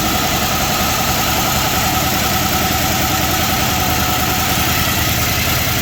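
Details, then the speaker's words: 1978 Chrysler Newport idling after fuel pump replacement, first run in a long time, oil level full but probably old and thick; steady idle with fast, uneven lifter-type chatter, about three or four per second, cause unconfirmed. "Well, cool. It sounds good other than that chatter."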